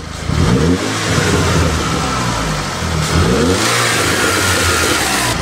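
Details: Audi turbo engine just after installing an ECS intake, sounding deeper: strong, clean revs rise and fall smoothly twice with a deep intake roar. Normal revving.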